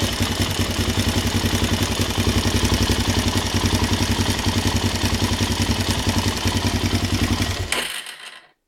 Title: ticking noise ltz 400